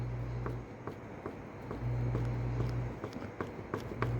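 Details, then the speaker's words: Diesel Toyota FJ Cruiser on a hoist: sharp light metallic clicks about every half second as the driveshaft is rocked up and down by hand. The play shows a worn U-joint that needs fixing. "gonna check for U-joint play by moving it up and down make sure there's no lateral play oh you got a bad u-joint you can hear that"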